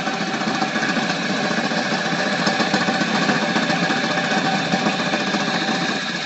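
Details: Flywheel rig belt-driven by a start-capacitor/run-capacitor motor. A 50 µF run capacitor fitted in place of the correct 25 µF makes a harsh rattle, with irregular belt slapping about three to four per second over the hum.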